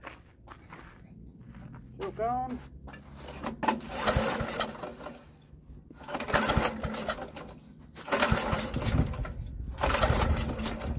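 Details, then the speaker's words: Troy-Bilt rototiller, recoil pulls in neutral after carburetor cleaning. Short rough cranking bursts that never catch; no spark, later fixed by cleaning the magneto coil. "we're gonna find out about this coil and see if we can't clean it up and see if we can't restore spark"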